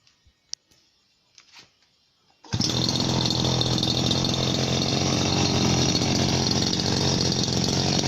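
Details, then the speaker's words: Chinese RBC411 two-stroke brush cutter, about 8 years old, owner always mixed fuel to ratio; starts quickly and settles into a steady, even idle with only slight fan noise, no misses or surging: normal idle. "รอบเดินเบานะก็มีเสียงพัดดังนิดๆแต่ไม่มากครับ"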